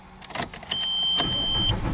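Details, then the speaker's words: MK4 VW TDI diesel with a no-start, glow plug and other warning lights blinking, crank sensor and relay 109 already replaced; the starter spins it about a second without catching; crank no-start, later traced to electrical corrosion. "I know it's not gonna start. I got right to the floor though."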